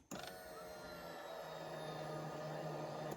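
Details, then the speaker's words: Yamaha Kodiak/Grizzly 450 ATV after a fuel pump replacement: the key is cycled on and off a few times to prime the new pump. A steady electric hum runs evenly for about three seconds, then stops cleanly. This is normal fuel pump priming. "You'll hear everything priming up. Turn it off. Turn it back on. Turn it off. Turn it back on again. This way your system should be primed up and ready to go."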